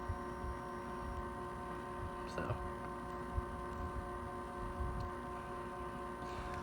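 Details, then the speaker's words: Ceiling fan with Hunter 22761 control, on medium-high to full power: steady quiet buzzy hum with a few fixed tones from the running motor; noise attributed to the motor hanging on bare metal mounting, system ungrounded. "the reason the motor's making that noise is because it's hanging on bare metal."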